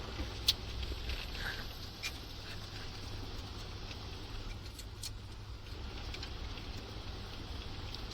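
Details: 1985 Dodge Diplomat 318 with lean burn system, suspected failed water pump, at about minus 20 with wind: low, steady idle hum with an even beat and no knocks or misses; engine idling normally.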